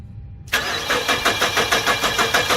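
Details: 2007 Nissan Frontier crank-no-start, day 2: starter cranks evenly about five pulses a second, never fires; fuel pressure gauge reads about 51–52 psi on key-on and cranking, so the fuel pump is ruled out and it is not a fuel problem.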